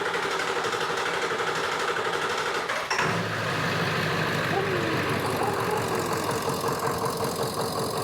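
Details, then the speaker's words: Ford F350 7.3 Powerstroke idling with valve cover off, injectors unplugged one at a time: diesel clatter roughens around three seconds as one injector is cut, showing that cylinder was firing. "I'm going to unplug each of these uh injectors one at a time if the motor stumbles when I unplug it we'll know that that injector was firing"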